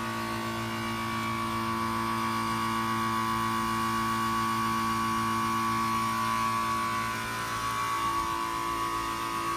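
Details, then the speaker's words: A/C condenser unit with a failed dual capacitor, compressor overheating; steady whistling and hiss over a low hum as the compressor's internal pressure relief valve vents as a safety measure. "is pulled in wait till you hear this relief makes one heck of a sound sounds like a whistling noise"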